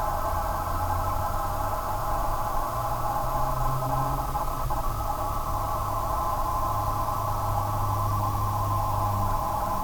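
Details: Corsair GS600 PSU: a steady, unchanging mid-pitched hum-whine over a low background hum, the power supply whining; the replacement unit did the same, then failed after about 3 months.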